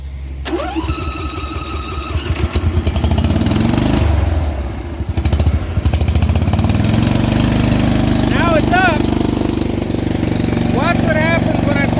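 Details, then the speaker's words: Dixie Chopper 60-inch zero-turn with V-twin, firing on only one cylinder, weird pop and won't hold idle or throttle; note sags hard when blades (PTO) engage, recovers slowly without reaching full speed. Suspected carburetor or weak fuel pump; engine bogs under load. "it's got a weird pop to it and i can't keep the idle up and when i turn on the blades it still wants to die"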